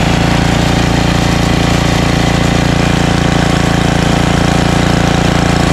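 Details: Ariens ST1128 28" snowblower, 11HP Tecumseh Snow King engine, cold day, after carburetor cleaning and pilot jet fix for surging. Despite an apparently ~5HP carburetor, even, steady firing at constant speed with no hunting up and down: normal steady run.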